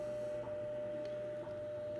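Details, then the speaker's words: Ten Tec Paragon 2 HF receiver being debugged, tuned just off 15 MHz with a wide filter. Steady high whistle with faint hiss and low hum, seeming to step about every 100 Hz; owner suspects an audio ground loop. "A little bit of weirdness there. I turn the volume down, you could hear it still stepping in 10 kilohertz, or I'm sorry, probably like 100 hertz here. It almost sounds like I have an audio ground loop here or something."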